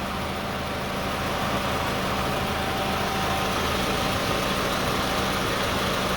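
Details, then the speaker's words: 2002–2006 Toyota Camry at steady idle with AC and cooling fan on, after alternator replacement: voltage around 12.91 V under load versus about 12 V with the old alternator. Even idle with fan whoosh, no surging, vibration or shaking. Normal idle. "But even though even at 55, you know, we still have no vibration, no shaking."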